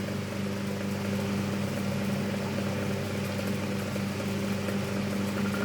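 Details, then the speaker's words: 12-inch Emerson antique desk fan before restoration, never oiled, on low with oscillation barely working: steady low hum with a rough scratchy rustle throughout from dry, unoiled motor bearings. "you can hear it's pretty noisy because of because of the no oil thing because it doesn't have any oil"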